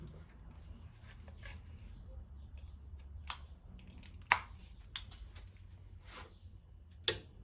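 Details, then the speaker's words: Scrapyard PC AT clone power supply, powered up with all loads disconnected. Faint sharp ticks about once a second from inside, with output only about a fifth of a volt. Ticking with no output, cause undetermined. "I hear it ticking. coming from in here. It's still ticking as well."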